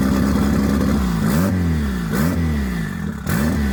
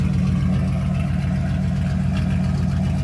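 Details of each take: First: Boosted Honda Accord that wouldn't start, now running on E85 after cold start at 42 degrees: lumpy, uneven idle with repeated rev blips swinging the note up and down; definitely running rich. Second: Dodge Ram 1500 just straight piped with muffler cut off: loud, deep, even open-pipe exhaust rumble at idle, steady firing, no ticking or typical Dodge valve rattle; normal idle.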